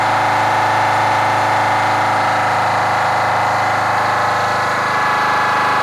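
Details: Kenworth cabover diesel truck with a fuel problem: uneven, lumpy idle beat about four times a second with one cylinder missing; the owner judges the third cylinder back on one side needs a new injector.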